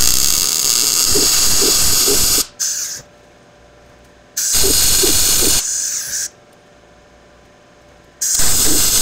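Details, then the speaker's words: Blue Demon BLUEARC 140MSI 110V 140A MIG-stick inverter with synergic auto voltage, wire speed backed off below the starting setting after wide open proved too much; bursts of even crackling sizzle with quiet gaps; smooth, well-dialed normal MIG arc. "I think I got her dialed in now I actually had to back off the wire speed a little bit I've tried it wide open it was too much"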